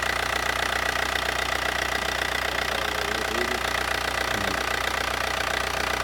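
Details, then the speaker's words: Just-bought daily-driver diesel car, engine said to be in great shape, at idle right after firing up: steady diesel clatter at an even idle, no misses or extra knocks; almost like the owner's own but softer. Normal, healthy idle. "Fire right on up. Sound almost like mine. A little softer. That's why I might change my settings."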